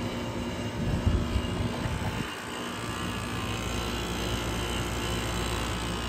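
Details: Vintage 12,000 BTU room air conditioner with heavily rusted Matsushita rotary compressor: steady even hum and airflow rush with low motor drone, no knocks or rattles; still runs normally.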